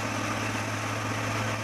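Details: Carbureted car in Blitar that was hard to start, backfired and nearly caught fire after its owner's parts replacement, attributed to wrongly fitted spark plug wires; after checking timing and the carburetor it idles steady and even with no misfire or stumble.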